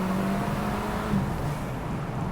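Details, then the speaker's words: VW Golf MK5 GTI after an engine replacement, with an exhaust and Racing Line lowering springs fitted; it had not run since 2021 and had a rough idling issue. It pulls smoothly with a steady drone, a soft intake rush and a less aggressive exhaust, with no knocks, which means normal running. "The exhaust doesn't sound as aggressive as my Golf R, so which is good, because then it's better as a daily, because it doesn't sound so aggressive for everyday driving."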